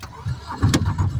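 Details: Aixam microcar, after repeated failed cranking: cranking grumble suddenly catches into a low, uneven running note after a brief squeal; hard start, engine finally fires.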